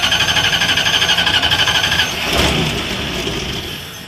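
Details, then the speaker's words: Van that died after idling 2-3 minutes, now restarting: steady high-pitched hiss or whistle over rhythmic cranking about four beats a second until it briefly catches; owner suspects a vacuum line or exhaust leak. "It's like hissing, something with a vacuum line or a fucking exhaust leak. Yeah, you can hear that high-pitched sound when I try to start it."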